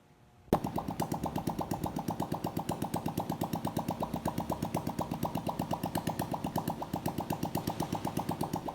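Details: Honda Biz 125 smoking, with engine noise: quiet idle with steady tapping pulse about three per second, uneven and off; abnormal engine noise, cause unclear.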